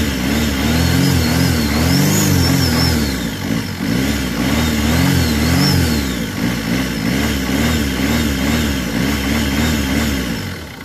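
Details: Mercedes Vito diesel with hard-starting complaint: catches promptly and settles into an even idle with a few smooth throttle blips. Starts and runs cleanly.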